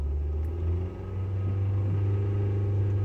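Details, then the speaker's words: Kia logging knock sensor code P1326, cylinder three, after a discount oil change possibly left it without oil: deep idle rumble with a dull, uneven thud about three a second, main bearing knock; replacement engine ordered. "because you can hear the knock for the main bearings uh what is basically happened is they went to a discount oil change place and maybe they forgot to put oil in it"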